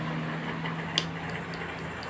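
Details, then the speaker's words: Motorcycle fuel injector on a manual injection scanner/tester, connected positive to positive and negative to negative: crisp, light ticks about three or four a second in a quiet room. It opens and closes normally under test pulses; the tool can also clean injectors. "Ini untuk pengecekan injektor ya, atau bisa juga dengan membersihkannya dengan alat ini."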